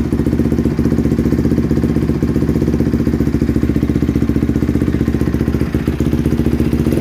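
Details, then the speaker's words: 2007 Honda CRF150R single-cylinder dirt bike, just reassembled, cold idle: fast, uneven popping with a lumpy beat, stumbling until warmed up; no smoke, choke doesn't help. "I've noticed that if you try to rev it up while it's cold it's just like a flat spot"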